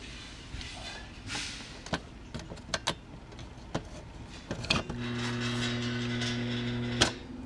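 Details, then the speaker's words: Home central A/C outdoor compressor: clicks, then a steady low buzzing hum for about two seconds, a clunk and silence; compressor stalls without starting, owner suspects a bad starter, unconfirmed. "Sounds like we've got a bad starter."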